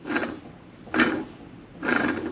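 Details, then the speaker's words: Removed front wheel bearing from Mk6 Ford Fiesta ST150 turned by hand: three gritty rasping rolls about once a second, slight noise despite no play; rough race, worn bearing. "It is making a slight noise,"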